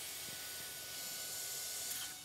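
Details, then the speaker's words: Volvo diesel semi truck with low power, engine off, intake pressurized with 20 psi regulated shop air: a steady, sharp hiss, unable to build even 10 psi, from a loose intake boot at the turbo. Boost leak. "I can hear the leak go ahead and throw some soap and water it sounds like it's right off this turbo here"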